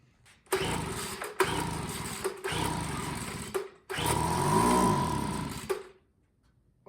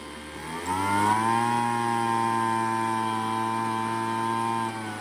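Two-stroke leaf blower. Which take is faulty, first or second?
first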